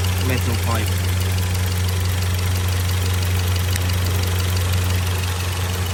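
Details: Skoda Kodiaq 2.0 TSI petrol engine (CZPA, 132 kW) idling low and uneven with a lumpy stumbling beat; fault codes show random/multiple cylinder misfire P0300-P0304 and idle rpm lower than expected.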